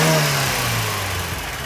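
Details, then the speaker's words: 1993 Lada VAZ-21099, 1.3 L 64 hp carburettor petrol engine, bonnet open: revs drop smoothly and evenly from a blip back to idle, quiet and steady, no shaking or misfire; normal revving. "движок работает тихо тихо движок работает ровно не трясётся не троить ничего"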